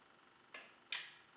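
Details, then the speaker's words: Kubota BX25 diesel, warmed up, glow plugs on, with hard-start/extended-crank problem: engine off, two sharp clicks as throttle is advanced past a point, fuel shutoff solenoid pulling in; engine then fires. "this here right here this is the fuel shut off solenoid so when it activ"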